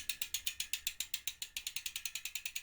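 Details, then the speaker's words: Ribble R872 road bike rear wheel, Chinese 50mm carbon rims, about 4,000 miles, after replacing a broken spoke and refitting tyre: wheel spun freely, crisp even freehub clicking, no rattle or other noise; normal. "it's now spinning nice and through nice around and there's no noise there other"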